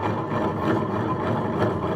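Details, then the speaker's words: Honda Vario 125 scooter CVT: steady rough rumbling grind when the secondary pulley is turned by hand, from a worn secondary pulley bearing; the noise disappeared when only the wheel was spun. "kita putar bagian bulu sekundernya ternyata bunyinya itu terdengar kembali kayak bisa kita pastikan bahwasanya sumber bunyinya itu terletak pada pada puli sekunder"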